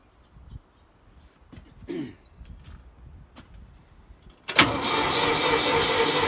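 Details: Old Ford forklift with repaired updraft carburetor: a few weak clicks, then steady cranking churn that never catches; the fuel was left turned off.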